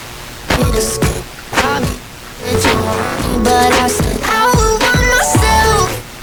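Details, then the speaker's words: Heathkit AJ-11 AM/FM mono receiver after FM IF alignment, heard on headphones: music comes through clean with only light background hiss and no crackle or distortion; FM reception normal. "okay sounds like an FM radio now let's see if we can tun something in"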